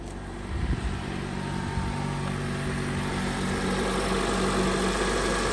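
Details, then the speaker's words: 2008 Honda CR-V petrol engine after catalytic converter replacement and clearing code P0420, idling smoothly with steady low hum, no exhaust leak puffing or rattles. "And she sounds beautiful. No exhaust leak."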